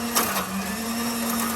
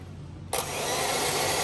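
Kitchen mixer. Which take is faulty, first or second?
first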